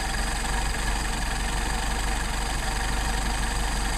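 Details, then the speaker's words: Rebuilt Solex 44PHH carburettors for a Mercedes 190SL after idle mixture screw adjustment: steady even idle around 750 rpm with a low rumble, no stumbling; mixture set right. "I think it's a great good idle it's about 750"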